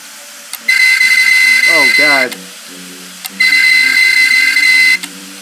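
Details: Seagate Barracuda 1.5TB 7200 RPM hard drive, about two years old, powered with cover removed after it began clicking; long shrill screeches broken by sharp clicks and chirps; failing drive, data likely lost.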